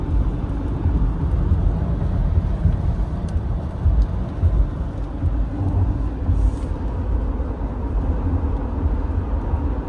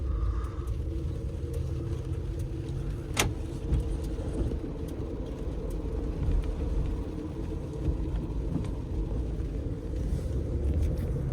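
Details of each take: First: 2014 Acura RDX, 154,000 km, on winter tires, road test at about 60–80 km/h after replacing the center driveshaft for a noisy hanger bearing: steady low road rumble, no whine or drone. Driveline normal. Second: 2014 Acura RDX with 154,000 km, road test: steady low-mid howl over road rumble from a worn driveshaft (propeller shaft) center hanger bearing.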